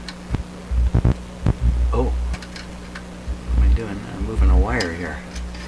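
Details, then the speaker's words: Sparton 1567 tube radio, wiggling a loose tube socket and wires; deep mains hum surging into loud throbbing bursts; poor socket connection suspected but cause not pinned down, plan to resolder all socket connections. "Wow I really can't nail down any particular determination why this hum some of these sockets the socket itself can have trouble"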